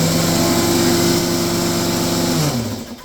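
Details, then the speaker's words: DeWalt air compressor with a broken cooling fan, restarted after the GFI tripped and the tank was bled: a steady motor hum with a heavy rumbling shake underneath, then winding down; the owner says it never did this before the fan broke. "Hear that? Wow! Never used to do that until I broke it."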